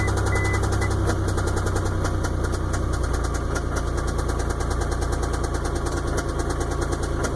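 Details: 1999 Isuzu engine at idle: a loud low idle with a slightly uneven deep knock about twice a second. Owner says either the main or the rod bearings are shot.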